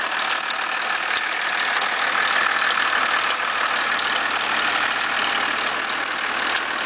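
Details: 1991.5 First Gen Cummins 12-valve diesel at cold idle, about -10, squealing a little: a loose, uneven clatter of about three knocks a second over a hissy, thin run. The source is unknown.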